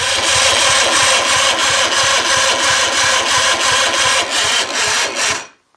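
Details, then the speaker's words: Johnson 50hp "Fat 50" outboard (1958/1959), said to have decent compression, cranked from a marine battery plus jump pack: slow, laboured cranking about three strokes a second, each compression pulse dragging. Owner thinks the starter is worn out. Weak cranking. "yeah i think it's because that starter is just too far gone i can't seem to i think i'm i just think it's worn out that starter should be turning that much easier"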